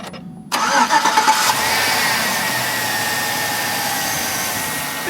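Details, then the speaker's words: 2005 Chevy Tahoe 4x4 Z71, 16 years old, high mileage, heard from the front: brief starter whir, V8 catches cleanly and settles into a quiet, smooth, even idle with no ticks or knocks; healthy engine. "as quiet as a mouse. Dude, it's very nice and quiet and smooth. Yes, for the miles, it's amazing."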